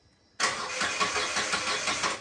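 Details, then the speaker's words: Nissan Datsun redi-GO with rat-chewed wiring. The starter spins steadily at about five beats per second for two seconds and never fires, because the fuel pump is not running; its wire was cut in several places. Crank, no start. "शुरू कोई लेने वाला नहीं लक्षण भी यह दिखाई नहीं देता।"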